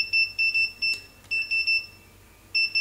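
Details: Godox SK400 II studio flash after repair of a sudden total failure: crisp high beeps in short groups of two or three between flash pops, clean and regular; normal ready beep, strobe charging and signalling normally.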